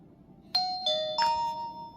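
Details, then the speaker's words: Boblov F2 2K body camera quick-record start: from fully off, a long press of the button gives three bright chime notes about a third of a second apart as video recording begins immediately. "it immediately starts video recording so if someone's yelling at you or threatening your life or anything like that you can instantly just start recording them"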